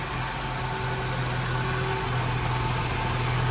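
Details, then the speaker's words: 1978 BMW E21 316 barn find running on 32-year-old fuel, original coil, bad condenser replaced, warming up, possible water pump leak: even, steady four-cylinder idle with a low hum, no misses or knocks. "Um, but yeah, it sounds I mean, listen to it. It's just beautiful. I can't believe it's actually running on the fuel that's in the car."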